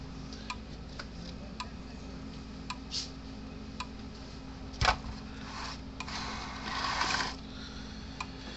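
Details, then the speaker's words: Repaired PEL 350 electric fence charger with two new capacitors, plugged in and switched on: faint sharp clicks about once a second, evenly paced, white light flashing; pulsing normally, about 6.6–7 kV on the fence tester. "so now we'll plug it in turn it on clicking right along"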